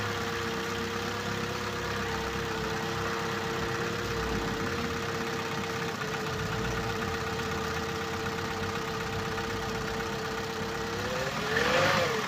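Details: Opel Corsa D, 2011, 1229 cc 63 kW/86 hp petrol, engine code A12XEL, 150,980 km: steady idle with a deep, regular knock about three times a second from the engine bay; diagnosed connecting rod bearing damage (rod knock).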